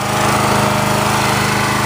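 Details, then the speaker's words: Generac petrol pressure washer running at the low-speed (delicate) throttle setting. A steady, even drone with a fast, regular firing beat and no misses; normal. "Do the one pressure set now. There's your low speed."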